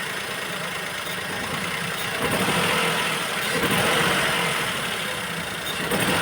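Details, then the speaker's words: Maruti Suzuki Wagon R K-series petrol under throttle blips: rough uneven jerking run, as if one cylinder is dead; complaint of poor pickup and low mileage. "അതായത് ഏതോ ഒരു cylinder work ചെയ്യാത്ത പോലുള്ള ഒരു feel ആണ് നമ്മൾ accelerator കൊടുക്കുമ്പോൾ കിട്ടുന്നത്"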